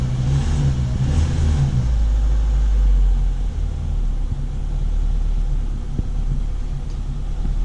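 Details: Daewoo Sens, checks cleared and no fault codes: short rev settling into a steady, even low idle with no misses or knocks; engine runs healthy.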